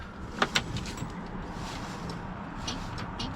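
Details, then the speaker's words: Abandoned 1967 Ford Galaxie 500, sitting for years, no gas added yet: two sharp solenoid clicks with the key, then near silence and no cranking; the solenoid may need replacing, and jumping across it is planned as a test. "solenoid ticking starter is not all right y'all we want to see if the solenoid when we're turning it doesn't even sound like the solenoid is moving at all"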